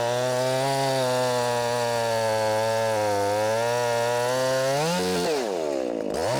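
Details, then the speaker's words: 50cc Echo CS501P chainsaw on stock .325 chain, deliberately dogged into a log to try to bog it: high steady scream holds pitch while buried in the cut, barely sagging before revving free; healthy saw under heavy load. "Now I'm gonna really dog it in and see if we can get this thing to bog down."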